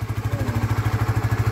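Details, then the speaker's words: Honda RS150 FI after top overhaul, no longer stalling: steady even idle thump with a regular firing rhythm and no knocks or rattles; running smoothly. "Yan o. Tahimik na siya mga bro. All goods na."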